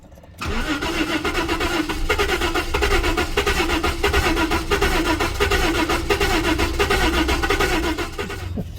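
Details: 1988 Jaguar XJ6 (XJ40) with a water-contaminated fuel tank, given starter fluid: long cranking with an uneven beat, one cylinder catching now and then but never running. Crank, no start.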